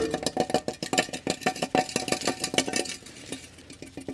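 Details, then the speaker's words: Removed muffler from a 1988 VW Vanagon, cut off with the cat as suspected clogged and causing engine issues, shaken on the bench: sharp irregular metallic clunks, about three a second, as the broken-loose inner core bounces around inside. "The whole inner core is bouncing around in there."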